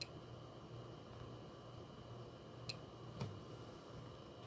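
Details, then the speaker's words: Desktop PC after a power outage, now with a new power supply and GPU: it powers on but gives no POST beep. Faint irregular sharp clicks over a low hum, with a light flashing at each click; clicking on power-up, no POST. "apparently that's kind of flashing a little bit too every time you hear that little clicks"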